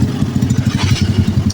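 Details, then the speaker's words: Carbureted Honda Blade motorcycle engine idling after a full rebuild following oil starvation and a seized piston (cam chain damage); quick, steady single-cylinder putter with evenly spaced beats, no clatter or misses: smooth, healthy idle. "Oke, suaranya halus ya. Ya, saya juga halus. Jadi tidak berantakan."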